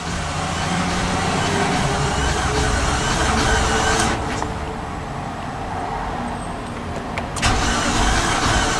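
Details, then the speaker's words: 2015 Infiniti QX80 from a Copart auction, cranking after a new battery, new fusible link and cleaned terminals: faster, steady cranking with a skipping cylinder and no start; oil light stays on, cause not yet known. "you can hear it's skipping a cylinder cranking speeds better just thinking about it no luck"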